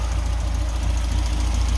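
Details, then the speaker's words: 1989 Mazda Miata (MX-5) idling after an oil flush with 3 quarts ATF plus half a quart oil: steady low rumble, loud valve tick gone after about seven minutes of running. "ran it for about seven minutes before the tick disappeared i'm gonna do a 15-minute run just let it idle turn it off and then do it three other times"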